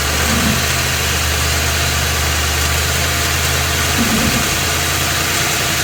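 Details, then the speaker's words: Ford F250 7.3 L Godzilla gasoline V8, phone under truck, idling then in gear on brake with some gas, A/C off: dull knock heavier under load; dealer's fix failed, engine being replaced. "you can distinctly hear that it's making a noise and it is making a knocking noise too"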